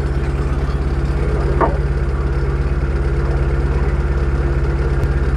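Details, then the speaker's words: Proton Wira petrol engine, warm after about 5 minutes of driving or when driven fast, idles unstably with a slightly uneven, stumbling pulse (semput). "Kereta Wira ni ada masalah semputlah. Bila kita bawa laju ataupun bawa dalam 5 minit, enjin dah panas, dia macam jing semput eh."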